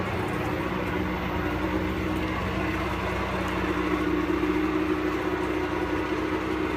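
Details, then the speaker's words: Pelin Nomad boat's outboard on fast idle, out of the water; soft, even hum with no misses or knocks, a pretty smooth normal runner; only a drip from the telltale, plenty of water from exhaust ports. "she's a pretty smooth runner, as you can probably hear."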